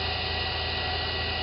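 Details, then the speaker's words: Wood lathe turning fishing rod handles, running at full speed: steady even hum with faint high tone, almost no vibration, no knocks or wobble; normal running. "and it's it is fairly quiet I will also say it's smooth"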